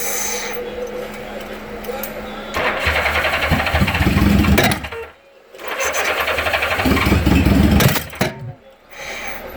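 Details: Honda GL1000 Gold Wing: starter churns in a steady rhythm about four beats a second in two long bursts, but the engine never catches; cranks, no start.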